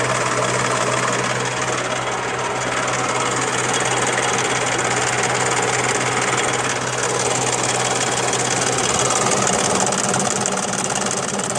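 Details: Daihatsu Charade: steady idle carrying an uneven rapping at roughly four per second, tracking engine speed; knocking noise inside engine, cause unclear.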